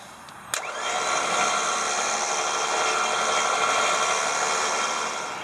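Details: Smittybilt winch on a Jeep TJ, being checked for solenoid/relay clicking: a click, then the motor spins up to a steady high whine without clicking or stalling. Here it seems to work fine; normal operation.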